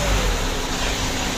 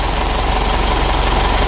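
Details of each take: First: 2012 Mitsubishi Pajero Sport Dakar diesel revved after turbo removal, cleaning and refit: steady, even roar with no rattle; turbo previously made a rough chattering noise when revved, now quiet and healthy. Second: 2012 Mitsubishi Pajero Sport Dakar diesel, running with revs; harsh gravelly rubbing drone over idle; mechanic suspects foreign object drawn in damaged turbine, turbo rubbing.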